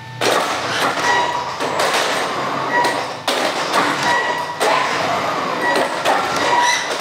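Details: Traxxas X-Maxx 8S with Hobbywing Max6 G2 ESC on stock firmware, sensorless motor starting: irregular thumps and jerks instead of smooth spin-up, inconsistent; motor cogging/stutter, fixed by firmware update.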